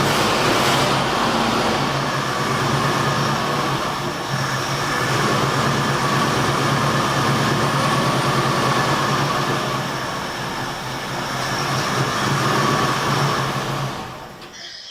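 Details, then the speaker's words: 1972 Ford F100 after carburetor rebuild and new water pump: engine runs rough and unsteady then dies; won't idle because idle speed is set too low, timing sounds about right, idle to be turned up. "all right I should have had a screwdriver handy cuz uh it won't idle it won't idle okay so I just have to adjust the idle on it"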